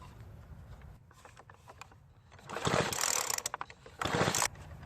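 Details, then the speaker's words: Craftsman leaf blower that won't start: two short bursts of pull-cord cranking that never fire, silence between; a spark checker shows no spark even with the on/off switch bypassed, so the ignition coil has failed. "the problem is it won't start and I'm afraid to say it's because it's lost spark and after using a spark checker it clearly shows that there is no spark"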